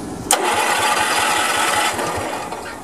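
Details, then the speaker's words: Honda 3011 riding mower, stored for years, relay jumped (bypassing safety switches); starter cranks steadily for a few seconds without firing; no spark at plug or spark indicator, owner suspects multi-relay/ignition path: cranks but no start. "it is cranking but when I checked on it I used my little spark indicator here plus I took the spark plug off and check the spark there too but I'm getting no spark but at least it's turning over"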